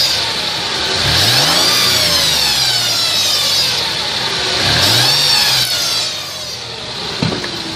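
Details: 2002 Mercedes ML320: thin whine from under the car rising and falling with engine rpm during revs; cause not identified.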